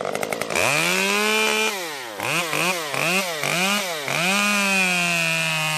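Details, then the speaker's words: Stihl MS 194T top-handle chainsaw after muffler mod (inner baffle removed) and tuning, cutting red oak; revs up cleanly, holds a strong steady scream through the cut and picks back up without bogging, healthy under load. "I was just running the saw a little bit, getting it tuned. It seems to be running just fine."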